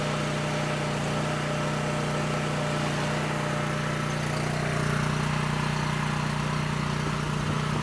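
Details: Coleman Powermate 6560 generator, after the fix for running only on choke (carburetor gaskets had been in the wrong order; oil was overfull and smelled of gas), under a 1000 W heater load: steady, even drone, pitch settling slightly midway as the governor adjusts; normal running.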